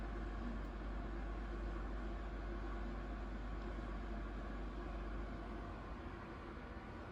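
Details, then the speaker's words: AMD Ryzen 3 3100 overclocked to 4.2GHz with stock AMD Wraith Prism cooler under full Cinebench R20 load at 69–72°C. Mic about 4 inches, then 2 inches, from the case. Steady whooshing airflow with a low even hum, no ticking or rattle. Normal fan noise under load. "AMD Ryzen 3 3100, and you guys can hear the fan noise. Again, I'm like 4 inches away from the computer case."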